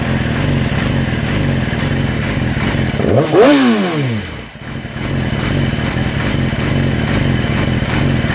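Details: 2006 Yamaha R6 at idle: uneven, lumpy idle with irregular pulsing in the exhaust beat and a brief blip partway; the engine isn't settling smoothly, cause unclear.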